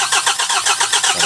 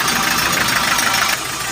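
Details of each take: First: 2024 KIA K2500 diesel with hard-starting problem, after injector work: starter cranks with even pulses about seven a second while high-pressure injector pipe is bled, engine not firing; air escaping from injector lines. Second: 2024 KIA K2500 diesel after bleeding air from injector lines (hard-starting problem): brief cranking, then fires and holds steady even idle; normal start and idle.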